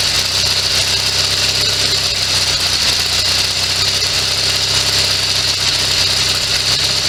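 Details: Sears SS16 garden tractor with Onan twin-cylinder engine, revived after sitting several years, running from an auxiliary gas tank; steady, even run under a constant hiss, no misses or surging.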